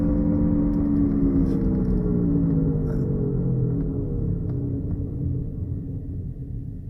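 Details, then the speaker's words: Honda Accord driven at about 40 mph: a deep droning hum that grows louder with speed and slides down in pitch as the car slows, the sound of a bad front wheel bearing. "Okay, that sound that you're hearing is the sound of a bad wheel bearing."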